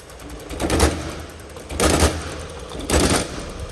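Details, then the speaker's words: Mitsubishi Triton L200 / Toyota Hilux diesel, crank no start P0093 with misfire code; injector nozzle replaced along with filter: regular crisp spray bursts about once a second with steady hiss; normal injector spray after repair. "ما شاء الله هيك الوضع ان شاء الله 100% على السياره"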